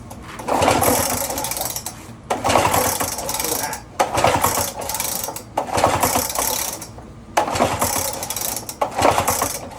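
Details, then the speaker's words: Lawn-Boy mower after partial reassembly: repeated pull-start bursts about every two seconds whir the engine without it ever firing, and the spark tester shows no spark, though there was spark earlier. Owner also doubts the spark plug. No spark, engine won't start. "no spark. Why do we have no spark? I don't know."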